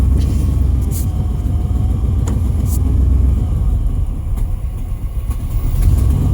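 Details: Truck with suspected bad fuel pump, needing pedal pumping: low uneven rumble that sags and picks back up as if starving for fuel; stumbling, cause unconfirmed.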